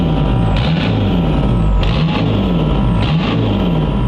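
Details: VW TDI show car air suspension compressor after repairing its burnt power wires and fuse: steady low pump drone with smooth, even pulsing as the tank fills from about 123 toward 145 psi; healthy with proper power; normal running.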